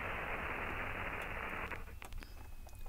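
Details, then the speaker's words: Ham radio receiver on an end-fed half-wave wire antenna: steady hiss broken by sharp crackling bursts of inverter hash picked up by the antenna, compared against a doublet. "i can hear that crackling coming back from the inverter that it's picking up"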